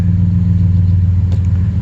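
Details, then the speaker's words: 2013 Ford F150 after ignition switch replacement for random no-start and dead battery (ForScan code B10F1-14): truck starts and idles with a low, steady rumble, no misses or knocks. Normal idle. "but just showing that she runs she runs so so at least we know that part works"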